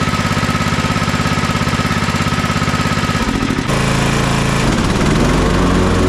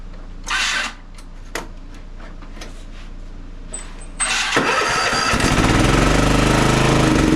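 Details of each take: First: Toro TimeCutter MX4200 74765 zero-turn, had smoked and died off choke; on fresh ethanol-free fuel with fuel lines refitted: steady even single-cylinder drone with brief pitch shift, no misses or surging, smooth off choke; earlier cause unknown. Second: Toro TimeCutter MX4200 zero-turn, previously smoking, oil level fine and no fuel in oil, choke taken off: cranks, catches and runs rough with surging speed, then dies; stalls without choke due to a dirty carburetor.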